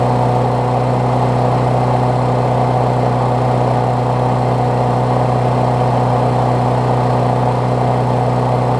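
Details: Briggs Classic engine swapped onto a Bolens push mower deck, run after fresh gas and 16 oz oil with a temporary throttle setup: steady low hum, smooth even beat, no misses, knocks or surging; running cleanly.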